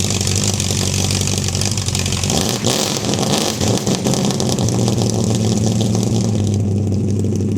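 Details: 1971 Dodge Dart 318 V8 with a hard-start problem: catches and runs steadily, with a few throttle blips that rise and settle cleanly once the choke was set right; sounds healthy.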